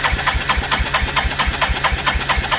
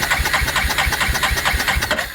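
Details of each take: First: 1987 Yamaha Moto 4 350 (YFM350ER) with no spark despite new stator, CDI, coil and starter relay, cranking with jumper wires acting as ignition switch; even turning at about two beats a second without catching. Normal cranking. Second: 1987 Yamaha Moto 4 350 (YFM350ER), stator, CDI, ignition coil and starter relay already replaced: quick, even cranking around eight beats a second that never fires; no spark, traced to a miswired ignition switch.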